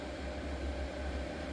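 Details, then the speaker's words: Revamped diesel heater with a new ultra-quiet fuel pump: steady, even blower roar with a low hum and none of the usual tick-tick of the pump; running normally. "I cannot hear the pump. Normally you'd hear tick, tick, tick, tick. I can't hear it. I cannot hear it."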